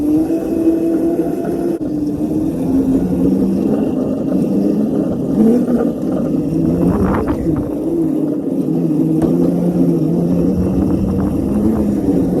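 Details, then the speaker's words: Razor Crazy Cart XL electric motor on two Milwaukee M18 batteries in series (36 V), first test ride: smooth motor whine rising and falling with throttle, no grinding or knocking; normal running under load. "There we go, baby. As you guys just saw, this thing absolutely rips on 36 volts."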